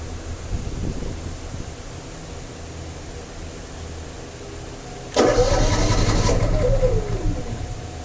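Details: Honda EU7000is generator with a new battery and spark plug, changed oil and fresh stabilized fuel: a short labored crank, a long quiet stretch, then it suddenly catches and settles. It is hard to start every time, cause not found.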